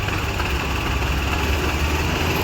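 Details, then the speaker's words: Maruti Suzuki WagonR idling on petrol: smooth, even, steady low hum with no stumbling; the misfire and ticking appear only on CNG, from a faulty CNG injector. "Engine अभी silent हो गया race करिए जरा race करिए petrol भी बराबर है"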